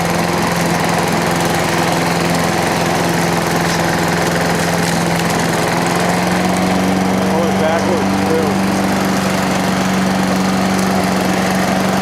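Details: Toro Recycler lawnmower after the loose governor screw was tightened with a lock washer and the idle speed raised from slightly low. A steady hum that steps up a little midway, then holds without hunting; the governor is now working properly.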